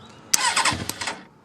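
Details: Motorcycle starter checked after fuse inspection, as the bike is fired up. A short, crisp crank lasting under a second with a quick catch and no grinding or stalling. The starter and solenoid sound healthy.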